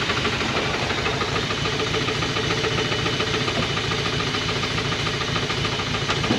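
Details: 1980 Dodge truck with a 360 V8 and four-barrel Thermoquad, started after sitting about 18 years: a rough, hissy idle with a rapid, uneven knock about three per second while smoking; known connecting rod knock.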